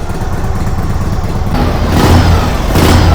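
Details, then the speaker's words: 1946 Harley-Davidson FL Knucklehead, first start in 20 years, no choke needed: deep lopey V-twin beat with two clean blips picking up crisply and settling back; runs strong and well tuned, normal revving. "No choke. No choke? No. Amazing. Purrs like a kitten. Unbelievable. Yeah, it runs really good."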